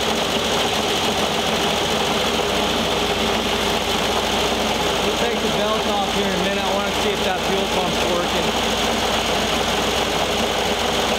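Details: 1973 VW Thing Type 181 that sat for years, air-cooled engine at steady speed: a busy metallic chatter rides on the engine note. Owner feels debris lodged in the cooling fan housing and plans to remove the belt.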